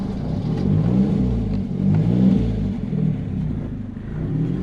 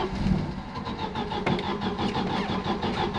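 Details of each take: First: Turbo Volvo with uprated valve springs and new ignition chip: engine pulls up and holds a strong even rev with no stumble; starts fine when cranked with fuel pump off first, suspected excess cranking fuel in map; running fueling not rich. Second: Volvo with uprated valve springs, on a warm restart. It cranks with a steady whirring rhythm but never fires, sounding like no ignition. Cranking fuel is far too much; starting with the pump off, then switching it on, works. Hot-start failure from over-fuelling.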